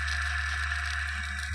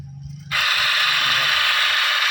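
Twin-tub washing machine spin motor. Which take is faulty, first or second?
second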